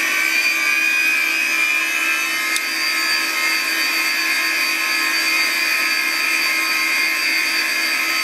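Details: Classic Digital (DEC) hard drive in a special holder, running: loud, constant high-pitched whirring with steady tones and no speed change; owner unsure whether this is normal and wonders about cleaning it; cause unclear.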